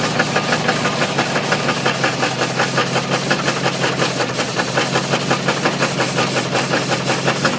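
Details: Ford 351W V8 with a spun rod bearing: a heavy, regular metallic rod knock about three per second rides over the rough idle, while coolant sprays from a hose.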